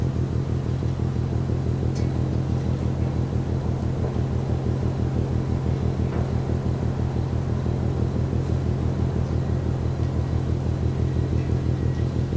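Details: Container ship MAERSK TAIKUNG moored at Genoa Pra' port, 1 a.m., recorded over 1 km away: deep, even, unbroken thumping about two beats a second over low rumble, rhythmic banging. Cause suspected, not confirmed.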